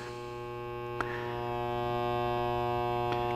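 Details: LM1875 IC audio amplifier with about 10 µF of supply filter capacitance added: a loud, steady low buzz rising in level with overtones above. Hum from far too little filtering; 33 µF caps later make it nearly quiet.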